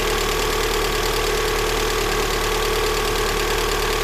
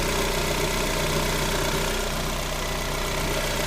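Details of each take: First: Lada Granta 126 engine at first start after a full rebuild (bored block, new bearings, 82.5 repair pistons, new timing and valves): a steady idle with a light, regular top-end tapping, about three a second, both cold and hot; a hydraulic lifter was found sitting higher than the rest. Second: Lada Granta 126 engine after full overhaul, alternator belt loosened so the tensioner pulley no longer rubs the crank pulley: steady, even idle with a smooth low drone, no scraping or knock; normal idle.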